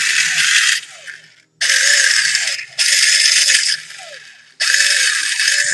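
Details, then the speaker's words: Echo1 M14 EBR/RIS airsoft gearbox upgraded with new gears, Echo Max Torque motor and ultra piston, test-run through a trigger switch before greasing: three to four short, fast, even whirring bursts with clean stops; healthy, well-set-up motor and gears. "sounds really good let me go ahead and apply some grease and i think that would be i think that's really good setup right now for the motor and the gear sounds really nice"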